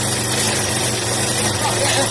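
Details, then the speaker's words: Yamaha SR125 single-cylinder, laid up for years, first start after storage with choke on: fast, steady lawnmower-like buzz held well above normal idle; oil needs to circulate, revs too high from choke being on. "Sounds like the all needs to circulate a bit, but... Sounds like the lawnmower. Yeah. The rims are a little too high for idle."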